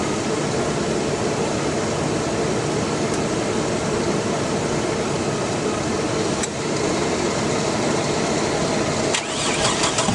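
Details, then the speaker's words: 2001 Chevy Blazer with fresh battery installed, owner suspects distributor timing issue, distributor not held down; steady cranking whir that never catches, cranks but won't start. "she won't start they had this holding the distributor top didn't work and now I'm not sure there's nothing holding it down down there now but still won't fire"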